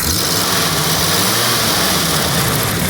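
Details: Restored 1974 Dodge Ramcharger that sat 12–15 years, with its original radiator, climbed a steep grade without hesitation or overheating: the engine revs strong and even with a smooth, steady roar and no knocks or misses. Healthy.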